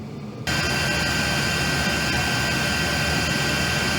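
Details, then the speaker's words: Chinese diesel heater on a 40-year-old sailboat, first test run, blowing hot air; diesel smell attributed to the exhaust not yet being finally installed: a steady, even blowing roar with constant hiss, no surging or popping. Normal running. "that's nice hot air coming from the vent here well from the two because i haven't connected it to a vent yet but i think that's enough of a test"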